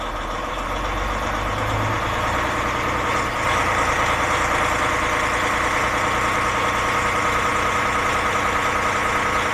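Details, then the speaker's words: DAF MX-13 truck engine (model year 2017, 530), customer complaint of ticking at about 1000 rpm; revs locked at 1000 rpm during high-pressure unit pump test on pump 2: busy metallic clatter like a bag of nails; suspected camshaft follower or unit pump fault. "Well, that sounded like a bag of nails. We'll run it again on pump unit 1."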